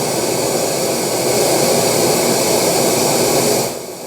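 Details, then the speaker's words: Kenwood KR-44 receiver after fitting new pair of replacement output transistors for blown ones: even, unbroken hiss at high volume with no cutting in or out; output stage now stable, new outputs run very hot, thermistor suspected. "now the two are in watch this okay works stable suddenly it's stable"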